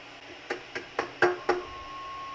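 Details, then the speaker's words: Peavey Classic 20 tube amp (EL84 power, 12AX7 preamp tubes), preamp turned up, nothing plugged in: five light taps on power tubes ring through the speaker, faint hum lingers; microphonic tube, fixed by swapping old Mesa tubes for matched JJs. "It's this super annoying sound that happens when you just touch the power tubes."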